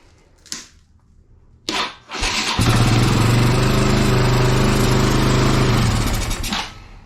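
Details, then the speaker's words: Kawasaki Bayou 220 ATV that sat for 8 years, after freeing the throttle: brief crank, catches right away and settles into a steady, even single-cylinder thump; normal start and idle. "yeah starts right up um so I'm going to get these fuel lines"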